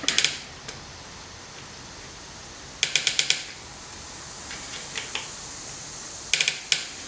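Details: Bicycle rear derailleur with the B-screw too loose, pedaling and shifting: short bursts of four or five quick fine metallic ticks with quiet gaps. The jockey wheel is catching the cassette; tightening the B-screw fixes it.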